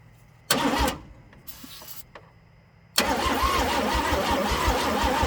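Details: Chevrolet C10 after swapping the coil, using starting fluid: short cranking bursts then one long pull with cables getting hot, never firing; crank no start, owner still suspects a spark problem.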